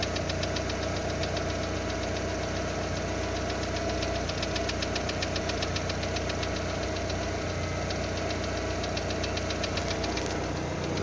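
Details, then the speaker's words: Lada Largus with 1.6 16-valve 129 engine (Priora/Vesta type) after hydraulic lifter replacement, cold start about 3 minutes in: steady ticking knock two or three a second over a loud, raspy idle from a torn exhaust flex pipe; quiet when warm. "Примерно прошло 3 минуты. Все тише, тише. Это еще двигатель громко работает из-за того, что гофра порванная."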